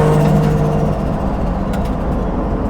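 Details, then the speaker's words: Restored Holden HZ Kingswood on 98 fuel with no air filter, accelerating on street: loud deep roar with hollow intake rush building under load; healthy strong running. "Dose is hectic with no air filter. Sounds good, eh? Good street car this."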